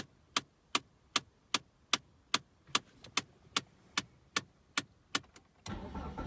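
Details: 2001 Mitsubishi Galant (EA2A, 2.0) dash climate control: sharp, even clicks about twice a second that started suddenly while driving on the highway, caused by a broken heater/cooling flap actuator.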